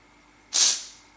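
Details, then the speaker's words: Pressure cooker making tomato sauce on heat: one sharp hiss of steam under half a second from the release valve outlet, then fading; cooker has come up to pressure. "there's a little bit of steam that comes out of here and you'll start to see those vapors of steam rising from this little outlet here this is your release valve this one here"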